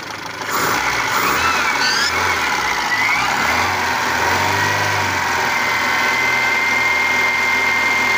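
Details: 1997 Kia petrol engine that wouldn't start for six months, revived after replacing a rotted ignition coil wire: catches and settles into a steady, even idle with no misses or knocks, idle slightly low before adjustment.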